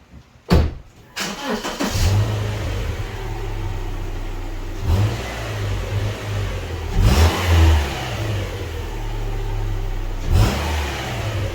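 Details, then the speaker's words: Subaru petrol engine starting and idling with a few short revs after exhaust heat shield rattle fixed with a band/hose clamp; exhaust now clean with no rattle. "all good, noise is gone. Easy fix."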